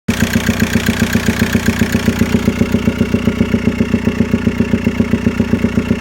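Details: Mk4 VW Golf TDI PD150 (ARL) diesel that is down on power, smokes black/white/blue, drops from 2 to 1 bar boost above 3,000 rpm, and has breather and dipstick blowback. A heavy, regular chuffing knock at idle, mainly from the airbox/intake area. The cause is unclear.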